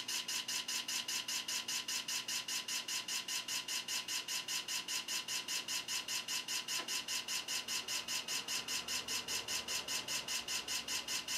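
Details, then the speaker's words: PC booting MS-DOS from floppy: very regular harsh rattly clicks about 2.5 per second as the drive reads; sounds bad but boot succeeds, cause unknown. "all right let's save this and see if it boots oh the suspense oh that doesn't sound good at all"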